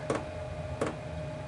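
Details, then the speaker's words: Chinese diesel heater after glow plug replacement, lighting up: sharp, even dosing pump clicks about every 0.7 seconds (~85/min) over a soft rumble as combustion fires; normal fuel pump clicking. "there we go that's our fuel pump started oh what a happy sound I never thought I'd ever thought I'd be pleased to hear that noise"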